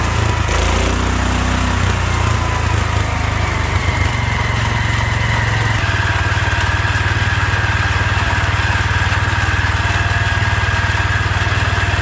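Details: 1972 Wheel Horse Raider 12 lawn tractor, stored 15 years in a shed: single-cylinder holds a high steady drone that never drops back to idle; owner thinks the governor isn't working, revving way too much.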